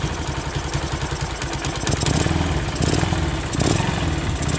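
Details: Honda Sonic 125 idles cleanly with a steady, even low putter and regular firing, no misses or knocks, after fuel line replaced and extra fuel filter added, following a no-start three days after repair with new plug and carburetor.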